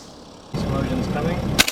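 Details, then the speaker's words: BMW 7 Series being jump-started, no fuel reaching the disconnected fuel line: engine cranking, then loud crackling as the jump leads arc heavily. "when I try to go and I try to go and crank it these spark the the jump cable wires have done the biggest spark and like literally welding shower"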